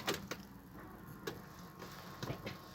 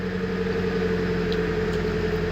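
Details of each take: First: Nissan 200SX S14 SR20DET after V-belt replacement: brief crank, then a sharp high squeal for about two seconds at start-up before idle; one of three V-belts squeaks intermittently, also when the heater is switched on. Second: Nissan 200SX S14 SR20DET after replacing and tensioning all three V-belts, which had previously squeaked, especially with the heater on: smooth steady idle with a constant low hum and no squeal or chirp; normal idle.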